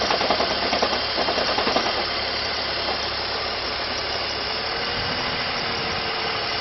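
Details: BMW E46 330ci six-cylinder idling with oil filler cap removed: irregular light clatter early on over a hissy idle; source unclear.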